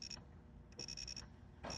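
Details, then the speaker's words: Williams System 11b Black Knight 2000 pinball lamp matrix, after replacing a transistor thought to be the dead one: the logic probe gives crisp high beeps in quick bursts with pauses between groups. The column lines are now strobing properly. "think that was the dead one there. So they're all strobing."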